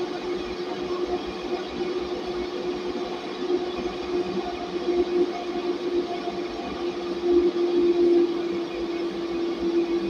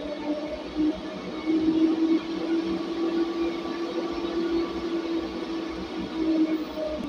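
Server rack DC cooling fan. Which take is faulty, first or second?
second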